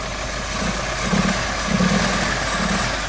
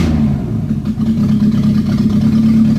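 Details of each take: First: Renault 18 2.0 carbureted engine during carburetor and distributor tests, running half-flooded before the distributor was advanced and the hoses reconnected: lumpy and uneven, beats stumbling about ninety a minute with a muffled, soggy note; rough running. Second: Renault 18 2.0 carbureted engine during carburettor and distributor timing tests: steady, even drone with a smooth note and no misses or knocks; normal running.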